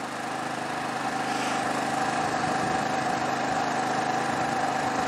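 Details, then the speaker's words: Generac IQ3500 3500 W inverter generator powering a heater: smooth even mid-pitched drone, no surging or knocks, not much louder than unloaded; normal running under load. "really not that much louder in my opinion now I'm"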